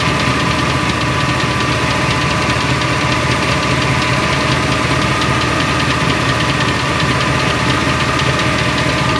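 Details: 2002 Silverado 8.1 V8 with Allison 1000, 4WD: steady fast ticking at idle, two to three clicks a second, from the bellhousing area; new flexplate, converter and bolts didn't change it, cause unknown.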